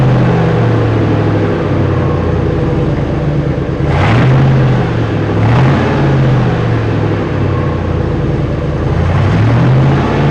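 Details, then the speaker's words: Parts-hauler truck with stock muffler removed, running a straight pipe: loud, raw, blatty exhaust barking on each rev and dropping to a rough rumble; owner finds it bad, muffler to be fitted. "Sounds like shit. So yes, it is definitely getting a muffler."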